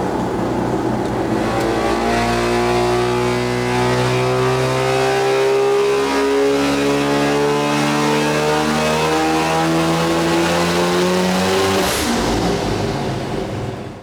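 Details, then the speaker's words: Mazda FD RX7 13B-REW rotary on methanol, trans-brake pull with added boost (tests at 8, 12 and 14 psi all worked, AFR and EGT fine): holds, then revs cleanly, rising smoothly to high rpm without misfire or stumble. Normal full-throttle pull. "Running up on the trans brake, did an initial test at 8 pounder boost, that worked. Another one at 12, that worked. Another one at 14, and that worked as well."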